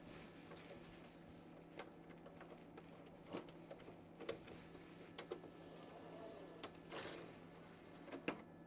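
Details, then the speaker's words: Original Xbox DVD drive: faint irregular clicks over a low hum, no motor spin-up, tray won't open and console doesn't seem to boot; drive clicks but tray mechanism is dead. "Yeah, this one's got more issues. It makes a clicking noise, but it don't want to open the door. I don't hear the motor spinning."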